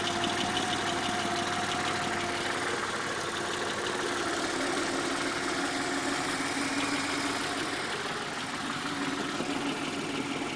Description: Here's my '91 XT 6 with what I believe to be a rod knock.